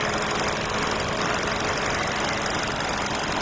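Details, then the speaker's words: Hyundai Stargazer with red oil warning light blinking then staying on, oil present in engine: dense rough clatter over a steady idle drone, audible even from inside the cabin; knocking from the engine, cause not pinned down. "Tapos yung tunog na naririnig ko is talagang maririnig mo na talaga siya kahit nasa loob ka."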